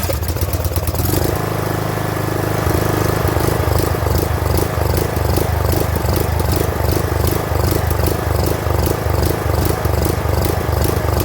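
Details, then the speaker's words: Craftsman LT2000 riding mower that sat for over a year: the small engine hunts and surges, its speed rising and falling, and dies at low throttle, blamed on a clogged carburetor. "and you can hear that it's hunting it's surging and as soon as i try to throttle down to the low throttle setting it just dies which tells me that the carburetor's got some clubs"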